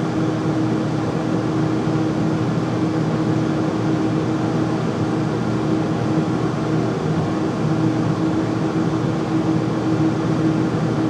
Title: Furnace making loud noise when running